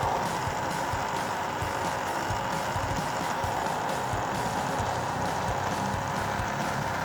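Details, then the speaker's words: Older laptop with known loud-fan issue; loud, steady whooshing roar with faint whistle, still blowing air; fan running far too noisily, owner wonders if something is caught in it, cause unconfirmed. "I mean it's still blowing out air though but it sounds like it's going to explode or something"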